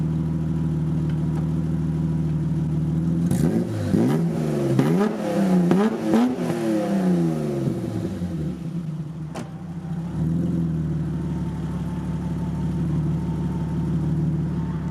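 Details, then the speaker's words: BMW E30 325i barn find: deep, raw blare swelling with several sharp revs over a rough idle; exhaust far too loud because the rear silencer is missing, mid-section only. "i'll give it a rev so you can hear what it sounds like it sounds insane it's missing the back box at the minute it's just mid-section"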